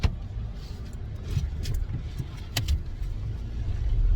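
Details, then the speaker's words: 2008 Toyota Tacoma pulling away, starting in reverse, with a newly installed Walker Quiet Flow stainless muffler: low, soft exhaust rumble, no drone, rasp or blowing. Quieter and healthy, a big difference from the old muffler. "Wow, big difference. This Walker muffler really made a big difference."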